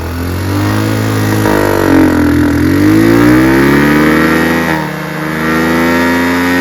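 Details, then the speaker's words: Chinese 150cc GY6 scooter with an old carburetor and automatic choke, idle screw turned in for testing: it idles fast and uneven, revs swelling and sagging over a few seconds. High idle held up by the screw; owner plans to back it out. "Right now I have the idle screw turned in to test, right? And now it's idling high, I can back it back out."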